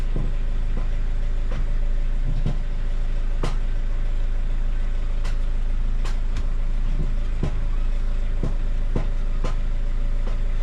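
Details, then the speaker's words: Renault Megane 2 1.5 dCi diesel, sharp irregular clunks in the steering when turning; owner suspected strut top mounts, but clunk remained after replacing them, so another cause was later found. "j'ai pas si tu entends mais les coupes et le crack à la mort"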